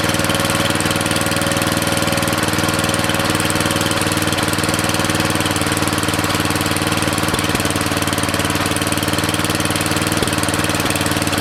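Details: Briggs & Stratton 13.5 cast-iron-sleeve riding mower engine, rerun with air filter back on after suspected oil in cylinder from engine tilted on its side; steady even single-cylinder beat, no misses or knocks, smoke burning off; good running.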